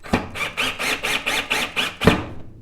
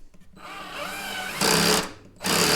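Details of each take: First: Black and Decker LDX120 cordless drill in forward at maximum torque setting: quick whirring pulses as it drives a screw fully into a scrap 2x4 without clutch clicking, which occurred at lower torque settings. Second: Black and Decker LDX120 drill driving a screw into a 2x4 on torque setting 1: motor spins up, then rapid ratcheting clatter bursts as the clutch slips because there is not enough torque.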